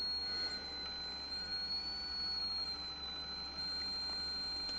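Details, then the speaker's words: Coil whine at resonance from a Kapanadze/Dally replication coil: TL494-driven L2 secondary resonating near 4.2 kHz at about 250 V on 12 V supply drawing almost 5 A; thin, high, steady whine wavering in pitch as frequency is tuned through the peak. "you can hear the squealing of the Year transform this is the secondary the l2 coil it's in resonance at giving 250 volts"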